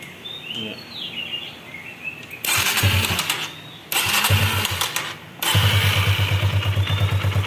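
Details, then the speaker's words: Kawasaki KLX 150 single-cylinder that ran rough and noisy, after valve clearance check and cam chain tensioner refit: after a couple of short start attempts it settles into a soft, even idle with no rattle; noise gone, normal idle. "हाँ, ध्वनि धीमी है हाँ, दोस्तों, अब शोर नहीं है"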